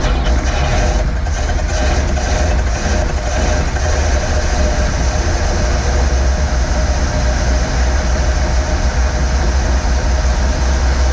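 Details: 1947 Ford cab-over V8 truck, unrun for about 60 years, after starter ground fix: deep, steady low rumble with an even beat and no misses or knocks; the old V8 runs smoothly.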